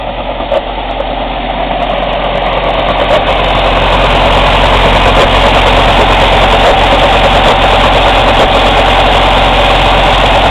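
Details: Cummins ISX CM2250 diesel during regeneration: loud running with sharp, airy chuffs about three per second from the intake and no mechanical noises. Intake chuffing; owner suspects turbo chuff during regen, not confirmed.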